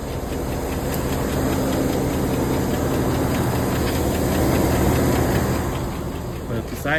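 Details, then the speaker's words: 2011 Cadillac Escalade 6.2L V8 with active fuel management, 178k miles, idling: light regular ticking about three or four per second, seeming louder than the day before during a Marvel Mystery Oil and Sea Foam treatment; owner suspects the common GM lifter tick. "I think the noise got louder than uh I think it's louder today than yesterday which I don't know if that's part of the process or"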